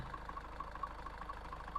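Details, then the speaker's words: High-mileage Range Rover Evoque at idle: engine shaking badly, rough uneven idle with a low drone and irregular rattling clicks; not the engine mounts, owner suspects a seized dual mass flywheel. "this engine should not be shaking around this this badly it's got to be in here that je M got it's just rubbling too much I think that jeel mass has got to be seized up"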